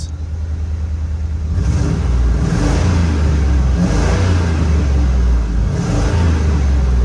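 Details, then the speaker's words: Auction bucket van, previously inoperable, after fixing running and charging problems and cleaning a ground: smooth repeated revs, deep steady exhaust, no knocks or misses; running healthy after repair. "All right, that's the best it's ever sounded."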